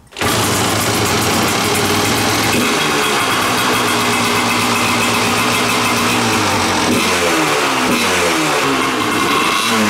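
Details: Kawasaki dirt bike with a freshly installed carburetor, cold start and warm-up before a load test: fires at once and buzzes high-pitched, swinging up and down with the throttle; revs unevenly, fuel mixture suspect.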